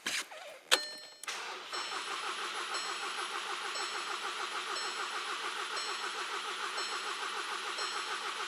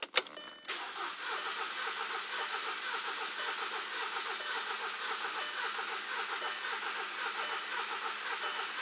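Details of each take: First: Engine cranking during scan-tool battery and relative compression test, battery holding steady at 9.2 V: steady, even cranking rhythm with no stumbles; good battery, healthy crank. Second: Four-cylinder engine cranking during a relative compression test, battery holding about 9.2V. The starter cranks at about two beats per second but limps, with one stroke in four light. One cylinder has no compression.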